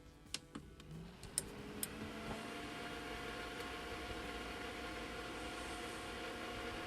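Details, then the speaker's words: Beldray 700W socket-mounted electric fan heater in a campervan on hook-up power, just wired in: a few switch clicks, then steady even whoosh of air with no rattles or scraping, pumping out hot air; normal operation. "on. Pumping out hot air."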